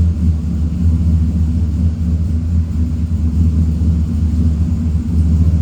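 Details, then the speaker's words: Chevy pickup (all-wheel drive) just after a junkyard-parts Hydroboost brake conversion: steady low idle with no whine or groan from the power steering pump while steering lock to lock and braking; steering buttery smooth, pump quiet and healthy. "No noise from the power steering pump, that's a good sign. I'll just turn the wheel. Power steering is just buttery smooth. That is beautiful."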